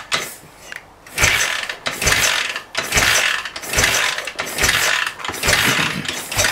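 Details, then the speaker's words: 1967 BSA Spitfire that won't start, compression tester in left-hand cylinder, kickstarted about once a second: strong even whooshes with firm resistance, topping out around 85; compression healthy. "Right, so it's topped out at just below 90, so that's 67, well just over 80, about 85."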